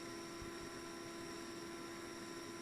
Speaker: And then that noise you hear is the pump rewinding.